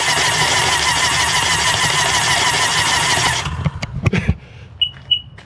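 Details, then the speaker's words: 2005 Sea-Doo GTX cranked plugs-out: fast, even starter spin for about three seconds with no compression beat, then it stops; blowing water from hydrolocked cylinders. "okay so now supposed to turn it over here water is going to come off oh God oh my gosh I'm in idiot"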